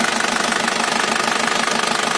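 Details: 2000 Isuzu Panther New Royal diesel, 189,000 km, engine recently overhauled, hood open: even, crisp diesel clatter at idle, a rapid steady tick with no misses, knocks or wandering speed. Healthy idle, no blow-by.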